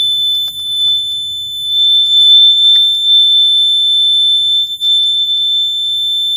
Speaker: Okay, so I might have actually figured this out. I installed one of the batteries backwards, so let's try it again.